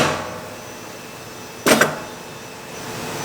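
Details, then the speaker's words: Tornos lathe bar feeder, changing from brass to titanium bar. Pressing unclamp gives one sharp metallic clunk as something collides in the feeder. The alarm reads booster clutch engagement failure, a safety clutch slipping under too much force, and the cause is still unknown. "if I click this button right here the unclamp button first you'll hear the noise so I don't know what something stuck something is going like this"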